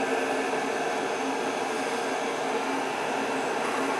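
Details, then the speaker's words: Riello oil burner after annual preventative maintenance service, fired up: steady even roar of flame and fan, no pulsing, rumble or sputter; burning clean with no smoke, normal operation. "fire it up see what it sounds like ah nice and clean no smoke"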